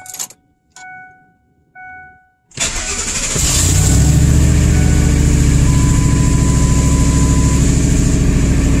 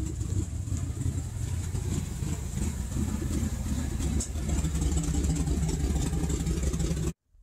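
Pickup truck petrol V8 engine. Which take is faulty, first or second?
second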